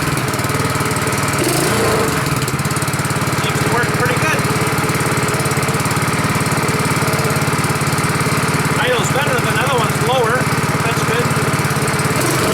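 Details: Honda 5.5 HP single-cylinder engine, first start after rebuild, choke on: settles into a steady, even low idle with no misses or knocks; normal idle.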